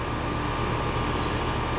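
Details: Iced-up AC unit, relatively new 1.5-ton condenser, running with gauges on after the fault was traced to a dirty filter: steady even hum, constant fan rush and faint fixed tone; charge and subcooling fine, running normally.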